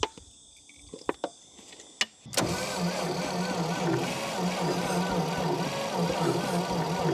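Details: 1952 Dodge Power Wagon, unrun 16 years, with choke: slow starter churn after clicks, briefly catching but never firing; owner suspects low compression, possibly flooding or lost spark.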